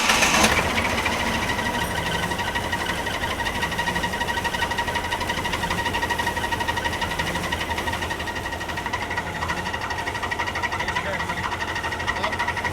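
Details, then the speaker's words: Jeep YJ idling with a thin, steady high squeal over ticking after a new alternator was fitted. One squeal was eliminated but this different one remains; the owner suspects the harmonic balancer, not confirmed. "she's still squealing it's a different squeal though so we eliminated one of the squeals and now we're having another one theory on it right now we think that it's the harmonic balancer not sure yet"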